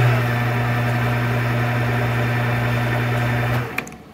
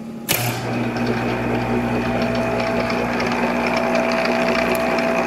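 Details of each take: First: Monarch 10EE lathe after spindle drive and noisy gear train work, in threading mode at 500 rpm: steady low hum, even tone, faint whir, then spin-down; far quieter than before, slight noise source still unknown. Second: Monarch 10EE lathe during refurbishment, after the spindle drive fix: starts and settles into a steady mechanical hum with a constant gear whine; source of the gear noise undetermined.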